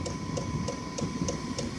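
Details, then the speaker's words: Chinese portable diesel air heater running from a battery, heater plug off after warm-up: soft, even dosing-pump ticks about three times a second over a steady combustion-fan hum; normal fuel pump ticking. "That's getting warm. And the other electrical bit would be the pump."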